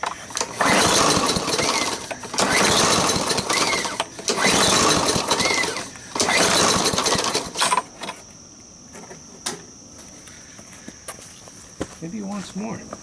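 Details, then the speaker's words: Sears lawn mower with water in the gas, primer not drawing fuel: starts only on starting fluid, runs ragged and surging for seconds then dies; fuel starvation, carburetor problem suspected. "I didn't hear that kind of Slurpee sound that you should hear I'm thinking it's got a carburetor problem"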